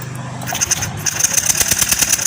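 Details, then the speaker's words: Yamaha Lexi fuel-injected scooter that died suddenly: starter spins engine in quick even pulses over high motor whine, never firing; taped, spliced ignition coil lead shows spark completely missing. "bahwa bunga api benar-benar hilang Pak ya. Bunga api benar-benar hilang. Ini dari kabel koil."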